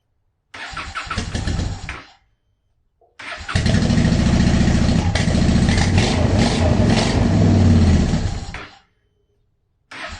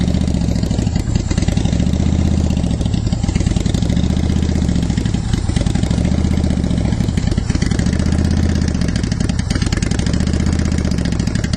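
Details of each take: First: 2010 Honda Shadow Phantom after fuel pump cleaning and tank reassembly, fresh ethanol-free fuel with B12 Chemtool added, air still in the fuel system: two cranking attempts, first catching and dying, then lumpy uneven idle; hard starting and rough running. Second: 2010 Honda Shadow Phantom V-twin after fuel pump and gas tank cleanout with fresh non-ethanol fuel, warmed up. Steady even idle with no misses or surges; it revs better and fuel delivery is restored.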